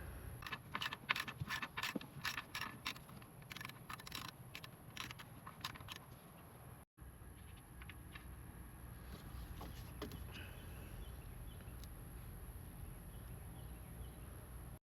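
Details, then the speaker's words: Toyota 4Runner 5th gen PCV valve, removed with 19 mm socket and shaken by hand: quick, light metallic jingle from the freely moving check ball, replaced anyway with same OEM part; healthy PCV valve rattle. "And a good valve, you should be able to hear it jingle, rattle. This one still does, but we're going to replace it anyway."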